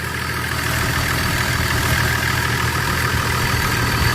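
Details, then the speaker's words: 2002 Chevrolet Trailblazer, about 170,000 miles, idling down after start: even idle with a faint light tapping. Engine ticking; owner suspects a lifter in the upper engine, or possibly a rod once warm, unconfirmed. "it sounds like it's a lifter baby in the upper part of the engine I think it's a rod in myself when it warms up"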